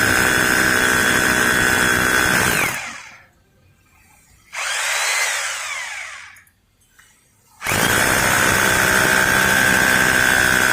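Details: Maktec MT870 rotary hammer after repair of a no-hammer fault, drilling concrete with an SDS bit: rapid, even hammering under a steady motor whir, pausing briefly then resuming strongly, so it now hits properly.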